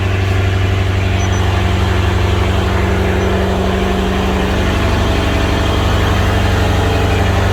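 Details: BMW 650i N63tu twin-turbo V8 (Pure Turbos stage 2, E40 tune) idling after high-output ignition coils were installed to cure boost-related misfires; steady, even idle at a low, unchanging pitch, no stumbles or skipped beats, firing cleanly on all cylinders.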